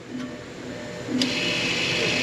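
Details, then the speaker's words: 2017 Audi Q5 rear brake job at the 60k service: rear electric parking brake caliper closed via scan tool, whirring motor hum rising to a steady pitch, hits the stop then backs off slightly; normal operation. "you hear that they're going in it hit the stop then it goes back a little bit"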